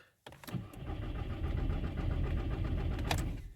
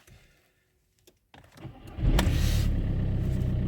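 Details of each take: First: VW/Skoda/Seat 1.9 TDI PD with non-start faults P0341 and P3008, after a new timing belt was fitted; the starter cranks at a slow, steady beat for about three seconds but it never fires because the injectors were left unplugged. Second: VW/Skoda/Seat 1.9 TDI PD with non-start faults P0341 and P3008, after a timing belt job and a crank correlation test; with the injectors reconnected it cranks briefly and fires at once into a strong, even idle, engine light still on.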